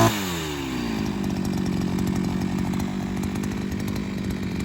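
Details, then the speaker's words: Seven-year-old 42cc two-stroke 5-in-1 strimmer multi-tool, only spark plug ever replaced, one mounting bolt missing so it flops around: revs up fast and holds a steady, even high buzz with no surging; clutch doesn't slip, engine healthy. "yeah it still runs pretty fine like i say that's not got a bolt in it anymore so it's flopped around all over the place but it doesn't bother me"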